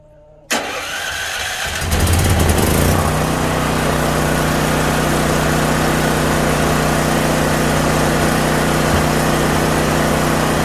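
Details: Used dual-fuel (propane or gasoline) generator, bought with a dead battery, started by remote after reassembling and fixing its switch: the starter cranks briefly, it catches within a second, then settles to a steady, even hum with no misses or knocks. Normal start and run.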